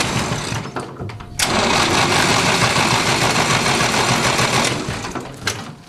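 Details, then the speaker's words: 1960s Massey Ferguson 165 tractor with carburetor trouble, kept running only with full choke and wide-open throttle: a loud, rough drone with a fast, fairly regular clatter near 200 beats a minute; source unknown. "I don't know what that sound is. If you can hear that loud humming sound in there."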